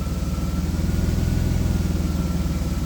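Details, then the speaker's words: Cold AJ30 Jaguar / Ford Duratec V6 in a Gilburn Invader on ME360 ECU, after correcting VVT control valve settings: steady, even idle pulse with no misses or hunting; best idle yet on this car. "Well, I will say that idle is better. but considerably better. So, I think that's an improvement. And I also think that my understanding of my VVT control valves is wrong or was wrong. That's probably the best idle that I've had on this car."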